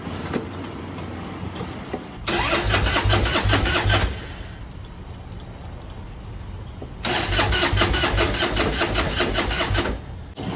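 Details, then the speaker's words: 1996 Harley-Davidson FLTSN cranking briskly and evenly in two stretches of about two to three seconds each, never catching; no spark found, coil wires connected, bike had been ridden in rain; crank, no start. "you got no spark on this bit okay yeah they can do a bunch of things"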